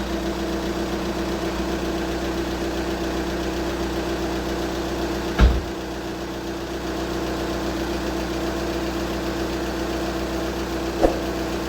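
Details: VW Scirocco 2.0 TDI diesel, first startup after water pump failure and water pump/timing belt kit replacement: steady, even idle with only a couple of brief knocks from handling; engine running cleanly.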